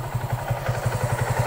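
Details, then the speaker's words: Kawasaki Aura Nexus motorcycle idling after a DIY fix of its loose clutch housing rubber damper, which had caused loud clattering: steady, even low idle pulse of about nine beats a second with no clutch-side clatter. Normal idle. "Ngayon ay okay na. Yan. So okay na siya mga kaidf."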